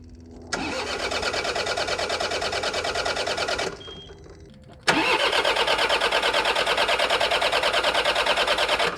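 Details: John Deere 4052R compact tractor diesel after fuel filter change with the fuel valve left off: fires, cuts out after about three seconds, then restarts and holds a steady even idle once fuel is restored; normal idle.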